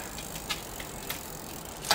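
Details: Shimano RSX bicycle gear shifter repaired without disassembly: a few crisp clicks as the lever indexes, then a short whirring chain move; shifter engages cleanly and shifts normally.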